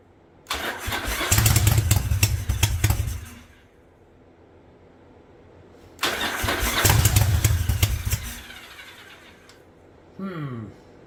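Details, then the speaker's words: 1985 Yamaha Virago V-twin barn find with a single-carb conversion on a DIY manifold, on its old plugs: two short starts catch briefly into a lumpy, uneven beat and die. It seems to be firing on one cylinder, with smoke from the front pipe. The owner suspects the plugs or small jets. "well I'm going to do this I think I'm only firing on one cylinder so I don't know if both these plugs are good"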